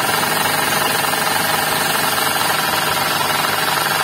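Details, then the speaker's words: Suzuki Ignis with manual transmission, engine idling under the open bonnet: a rough, rattly growl pulsing about three times a second from the belt drive. The bearing is indicated among the alternator, water pump and V-belt tensioner, and the tensioner bearing is replaced. "Oke jadi begitulah ya untuk suara bunyinya nah ini untuk Suzuki ignis nah ini kita juga bisa cek untuk bagian yang penyebab atau terindikasi bunyi ngorok atau ngetrek nih ya Nah ini indikasinya di bagian bearing"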